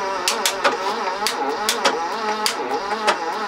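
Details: 1980s BMW E12 M535i Lightweight barn find, untouched 30 years: uneven metallic ticks and clacks while cranking; oil applied to valves and rockers freed all but two sticking valves, penetrating oil left to soak.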